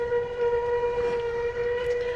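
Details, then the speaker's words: 2007 Jayco Melbourne 29D Class B RV, front slide-out room extending while the button is held: a steady, even electric motor whine with no grinding or strain until it stops automatically at its limit, so the motor is running normally. "you'll just hold this button all the way until that slide out stops it automatically stops at it's its maximum limit"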